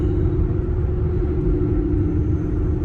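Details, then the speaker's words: Cooper Endurance Plus tires at 57 mph, loud since a rotation and minimal alignment, rear pair worn near the wear bars: steady low roar with droning hum; tires suspected, possibly wheel bearings, swap to Michelins planned. "And uh but ever since then these tires have just been loud or or the vehicle has been loud."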